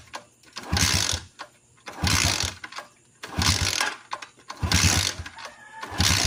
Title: Motorcycle hard starting #motorcycle #hardstarting #motor